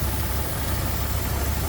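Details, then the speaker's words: 1936 Ford Woody Wagon flathead V8, hood open at engine bay: low, even rumble without knocks or misses; smooth steady normal idle. "also there's a flathead again you can see how nice and smooth it"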